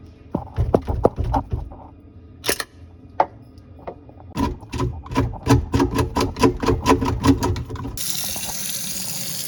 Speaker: So that disposal is cracked. That's why it's making that noise. Gotta replace it.